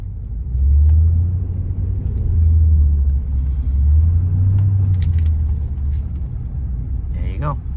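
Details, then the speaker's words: 2008 Toyota Tundra SR5 test-driven in 4-high after front propeller shaft inspection, for complaint of clicking when 4WD engaged; even low road rumble with no clicking, driveline sounds healthy. "I don't hear any uh clicking noise"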